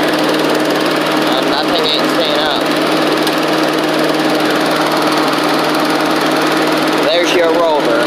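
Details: Old Australian-built Rover Turbothrust mower started on choke, with a working 12-volt generator: loud, steady buzzing drone at even speed with no misses or surging; engine runs smoothly.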